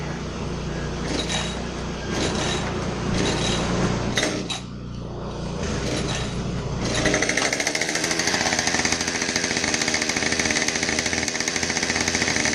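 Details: Husqvarna 550XP Mark II chainsaw after oil pump replacement and muffler swap: fires up after handling noise, settles into an even buzzing two-stroke run with no stumbling; running normally.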